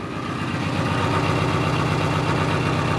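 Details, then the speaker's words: 1986 Subaru BRAT running with the accessory belt removed, a smooth even idle at about four pulses a second with no whine or rattle; the noise is gone, pointing to the suspected water pump. "quiet very quiet so it's got to be this guy"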